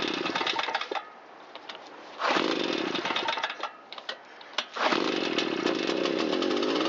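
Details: Shindaiwa EB802RT backpack blower after correcting a backwards-installed carburetor and fitting new fuel hoses, used gasket: picks up cleanly on throttle, revving high then settling; runs and responds properly.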